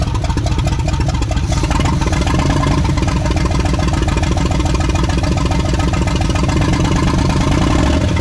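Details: 1979 Chevrolet C10 pulled from a farm field, first start in years: the old V8 runs with a steady, loud, slightly loping beat and no knocks, running evenly.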